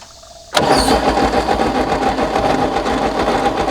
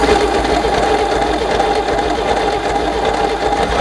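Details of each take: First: 1964 Chevy Biscayne, parked behind a barn 30+ years, cranked with ignition on: steady rhythmic cranking with no firing; no spark, no continuity through the points, and engine sounds unhealthy inside. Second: 1964 Chevy Biscayne V8, parked 30+ years, first start after servicing the points and a dose of brake clean: catches and runs on a steady, fairly even fast idle just above idle, then settles lower as the throttle eases; it is firing properly.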